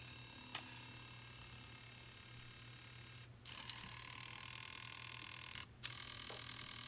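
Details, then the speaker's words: Nintendo Wii (RVL-001) disc drive before replacement: high whirring with scattered sharp clicks and abrupt stops, clicking even without a disc and rejecting discs; gears damaged and not moving, drive replaced with a new one. "so you can hear it's making that horrible clicking sound even without a disk and with a disc you can see it's trying and then it just rejects"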